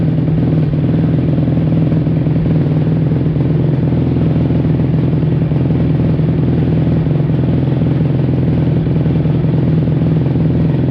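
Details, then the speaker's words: 2005 Kawasaki KX250F after carb clean and clogged pilot jet cleared, running fast off choke: stumbling, wandering uneven beat; owner wonders if it's too lean. "I it was not ready for no choke [Music] TR yikes wonder if it's too lean"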